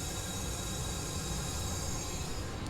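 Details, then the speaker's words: 2024 Sea-Doo RXP-X 325, cylinder 2 pressurised with compressed air during a cam spring and retainer install: steady rush of air heard at the exhaust, a leaking exhaust valve. "So definitely exhaust valves so far, they're leaking."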